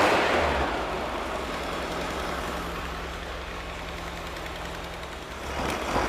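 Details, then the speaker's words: Mystery VW engine of unknown history, built from used parts, first run on a stand while cold: even, smooth low rumble with no knocking, slight exhaust leak. Knock was feared while cranking; heavy oil and additive were used. "well I guess the answer is yes uh we can make a used motor run off of used spare parts I'm actually kind of surprised that I don't hear any knocking"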